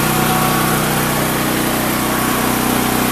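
A small engine holds a steady, even buzz at constant speed with no surging or misfiring; the generator idles cleanly on propane.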